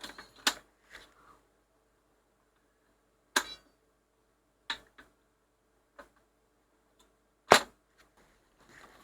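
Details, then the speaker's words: 1960s Ferguson 3026 mono record player after smoothing capacitor replaced to cure 50Hz hum: autochanger reject cycle, sharp clicks and solid clunks spaced seconds apart as it trips and cycles properly. "you seem to fix it and it seems to be okay let's just see if we can reject that disc"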